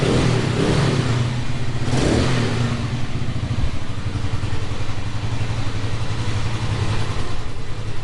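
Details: Rebuilt Keeway Superlight 200, after a flat battery. A quick rev blip drops back to a steady, even single-cylinder idle with no rattles: normal running.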